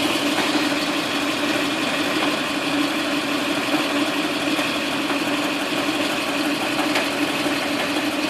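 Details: Toyota 2UZ-FE V8 at steady idle with an uneven, irregular knock roughly twice a second; origin unknown.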